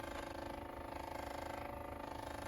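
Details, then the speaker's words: Westinghouse reel-to-reel recorder after reassembly and shaving the rim tires, recording: faint steady buzz with fast even pulsing from the motor, cause unknown; owner plans to oil the motor; motor buzzing. "is the motor and i don't know i don't know what's causing that i'm oil the motor and i need to think about that"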